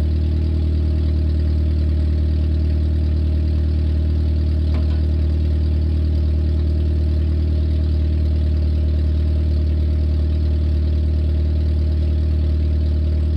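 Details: 1994 Nissan Sentra four-cylinder idling with the exhaust fully removed to fix a leak: a loud, raw, deep drone with a strong low pulsing beat and no muffling.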